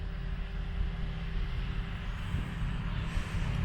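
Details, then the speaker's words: Land Rover Discovery 4 Webasto Thermo Top V fuel burning heater starting in timed-heat mode: steady low hum with faint constant mid tone, speeding up in phases while the glow plug heats before lighting; normal. "i think it i think it does a little sort of phased warm-uppy thing it's still going there's still some humming going"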